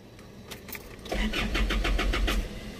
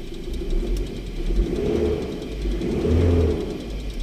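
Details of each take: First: 2008–2011 Isuzu Alterra diesel: weak, drawn-out cranking before heavy chugging catches at about three strokes a second; hard starting from a nearly severed camshaft position sensor harness wire, sensor itself fine. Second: 2011 Isuzu Alterra diesel that was hard starting, after repairing a broken camshaft position sensor wire, scan shows no codes: blipped up and back down roughly every two seconds, a clean, even rise and fall with no misses or knocks. Normal revving.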